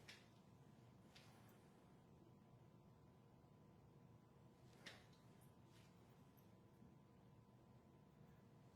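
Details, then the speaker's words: Stock shock absorber after fresh, different-viscosity, better-quality oil and re-gassing, pumped by hand next to the microphone: virtually silent, only a few soft thumps, no cavitation gurgle or hiss. "virtually silent with no cavitation"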